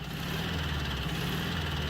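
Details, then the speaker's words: Abandoned 1967 VW Beetle engine after the valve train was corrected and the head reinstalled: steady low idle with a faint repeating knock heard on cylinder one, pulsing through the carburetor. Throttle response much better; knock cause not confirmed. "you can hear that knock definitely on cylinder one it's pulsing through the carburetor pretty bad too"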